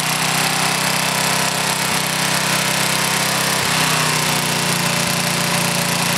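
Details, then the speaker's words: Older Briggs and Stratton small engine with one-piece Flo-Jet carburetor runs fast and steady with only a rare light sputter, an acceptable mixture; constant sputtering or backfiring would mean leaning it out. "a little sputter now and then like you hear there is okay if it starts backfiring and sputtering all the time that's when you got to try to lean it out a little bit"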